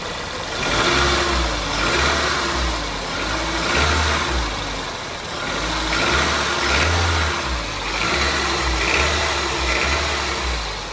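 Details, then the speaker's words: 2002 Toyota Corolla, about 110,000 miles, poorly maintained, timing chain tensioner replaced without effect, cold start and revved: busy clattery mechanical rattle; owner suspects rod knock or stretched timing chain. "this is a pretty cold start she's still cold I just started her up um um but I'm going to let you give her a listen and you try to tell me what you think the noise is"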